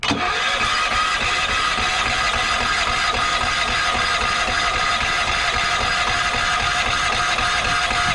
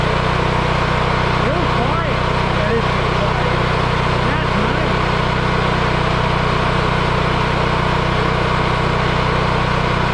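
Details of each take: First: Yamaha EF4000DE generator on propane, electric starter on jump box: busy even cranking churn that never catches; believed flooded, too much fuel and not enough air because the choke was held shut. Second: Yamaha EF4000DE generator running: steady even hum with smooth regular beat, no knocking or surging; runs cleanly, owner believes low oil shutoff from low oil had kept it from running.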